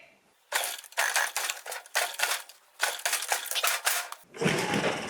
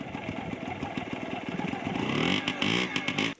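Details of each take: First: Yamaha QT50 moped (78 or 80) on first kick with choke, fuel mixed 40:1, possibly wrong spark plug: ragged two-stroke crackling bursts with gaps, then uneven running; rough running, intermittent spark later blamed on a faulty charge coil. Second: Yamaha QT50 moped (78 or 80) after charge coil replacement: catches quickly and revs into a buzzy, even run before cutting off; fired right up, starts and runs cleanly.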